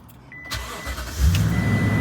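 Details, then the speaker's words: 2018 Toyota Tundra starting right after a battery replacement: chime beeping, brief crank, then the engine catches cleanly into a steady, even idle; normal start, charging at 14 volts. "perfect sounds really good close the door so you can hear me"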